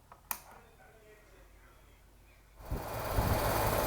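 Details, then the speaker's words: Outdoor AC condenser unit after repair, fuse back in, thermostat set to cool: quiet a few seconds, then the unit kicks on and the fan whoosh builds steadily. The fan now runs, so the repair succeeded. "And yes, the fan is moving. Test is successful, so I'm gonna turn off the AC and I'm gonna close the capacitor cover."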